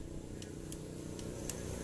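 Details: Suzuki Smash/Shogun motorcycle engine after fixing the knocking by replacing a loose timing chain tensioner adjuster with a 6.5 cm 10 mm bolt and locknut: quiet, even low idle with no rhythmic chain clatter, only a few faint stray ticks.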